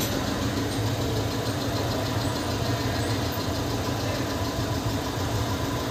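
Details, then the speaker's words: VW Polo 1.2 CJL diesel that would not start with ECM-locked code P157000, after blown fuses SC11 and SC13 were replaced: starts easily and idles with even diesel clatter, no stumbling or surging; normal idle. "ನಾನು ನಿಮಗೆ ತೋರಿಸ್ತೀನಿ vehicle ಆರಾಮಾಗಿ start ಆಗ್ತಾ ಇದೆ"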